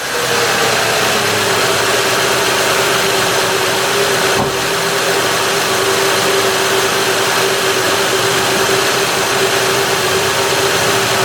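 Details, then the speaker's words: 2006 Honda Odyssey EX-L V6 start after valve adjustment: steady, even idle hum with no misses, ticks or knocks apart from one brief tap; running really smooth. "and so there you have it it's uh running really smooth"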